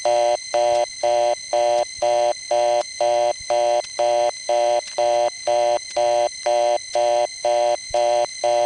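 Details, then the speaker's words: Dialing 550 from a 294 first-coin phone on the #1 Crossbar office, Grand Concourse, Bronx, 1972-78: fast reorder tone at about two bursts a second over a constant buzzing hum from the office's noisy power supplies. "see what i mean that sound pretty much gets into everything from 294 the panel in this building has that same sound but it's at a lower level here"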